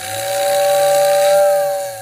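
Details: Lionel postwar whistling tender after its wiring, previously soldered wrong, was re-soldered correctly: a steady two-note whistle over soft hiss holds about two seconds, then fades evenly; whistle now works properly.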